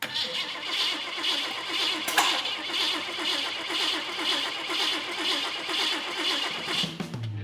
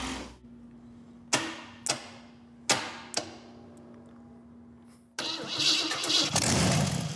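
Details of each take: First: 1948 Packard lead sled, after fuel pump install and wiring check: starter cranking steadily at about one pulse per second but the engine never fires; crank no start, firing order issue suspected. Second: 1948 Packard lead sled with different coil: a few sharp cranking clicks, then the engine catches with a strong, even roar and settles cleanly; normal start and idle.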